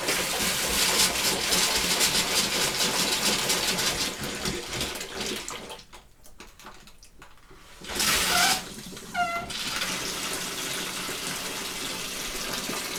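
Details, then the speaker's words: 2001 Bayliner Ciera 2655 liveaboard, after replacing the 24-year-old water pump and repressurizing: sink hot faucet hisses, chokes and spits, cutting out a couple of seconds then surging back; suspected air in the hot line, not confirmed. "Hot just seems to have a problem with the water. Or air, sorry."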